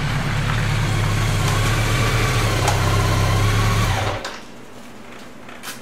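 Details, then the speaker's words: 2002 BMW K1200RS road test after replacing a noisy final drive ball bearing: a steady, even drone with no pulsing wow-wow, fading as the bike slows; the brakes touching the caliper are audible. The final drive sounds smooth and normal. "boy that sure is a lot quieter than when I started isn't it all you can hear is the brakes hitting the caliper that was one noisy bearing"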